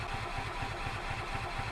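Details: 2005 Club Car Precedent gas golf cart (intermittent start, runs only on full choke): starter churns steadily at about four pulses a second with no fire, a long crank while priming the fuel system. The fuel pump barely primes, and owner suspects it needs replacing.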